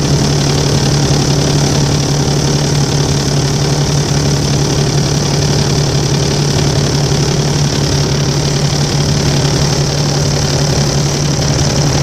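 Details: Volvo 7700A city bus diesel at idle: steady low drone with an uneven knocking patter of about three to four per second; abnormal noise, cause unknown.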